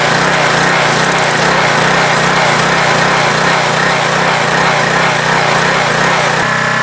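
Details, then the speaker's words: Pressure washer after a leaking valve was refitted: steady engine drone with a busy pump buzz, no surging or knocking, no choking; the leak was only a loose hose connection and it runs fine. "Just hose connection a little loose. It works fine. It's good."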